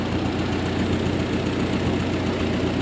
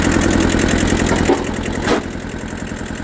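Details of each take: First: Old Ford 8N tractor, revived after sitting for years: uneven idle with occasional soft pops that come and go over a low rumble; owner suspects carburetor adjustment or spark plugs; intermittent popping at idle. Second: Kubota B6000 4x4 diesel auction tractor after sitting for years, first start: catches with a rattly clatter, then settles into a steady, even idle of about three to four beats per second.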